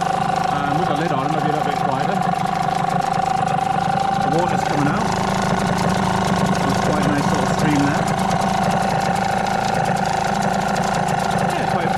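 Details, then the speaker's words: New Hangkai T6 6hp two-stroke outboard, first-ever start, in water, 25:1 running-in oil mix, cool morning, choke just pushed in: steady, fast, even buzzing idle still cold, faster than the owner likes. "You hear the engine picking up now. It's getting a little bit warmer. Try the choke in. So that's the that's idle. Little bit faster than I like. It is cold."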